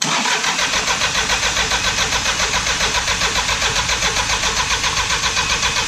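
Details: Diesel truck after sitting five years, priming fuel at the injectors before starting: it cranks and catches into a fast, rough clatter of about 220 beats a minute; a long-stored engine struggling to start cleanly, cause suspected, not confirmed.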